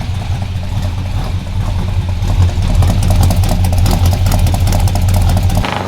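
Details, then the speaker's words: 1974 Chevy Nova V8 with new exhaust: light ticking over a deep burble that rises with revs, near cylinder number two. Suspected lifter chatter or a damaged pushrod or pulled rocker stud from a 7,000 rpm over-rev. "I think you and Landon's uh 7 000 RPM trip from orderville may have damaged the push rod in there or something well or could have probably pulled a stud"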